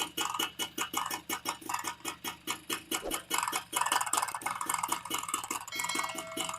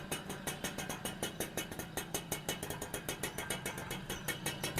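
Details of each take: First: TVS XL Super moped after an engine rebuild (new crank, bore, clutch kit, shoes, bearings), mic held close at low idle: sharp knocks about four a second, like worn clutch shoe rubber or a weak bore; crankshaft end-play knock, engine to be reopened. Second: XL Super moped after engine rebuild with new crank, clutch kit and bearings: steady even idle putter, no knock or tapping; earlier noise gone, confirming the crank was the cause.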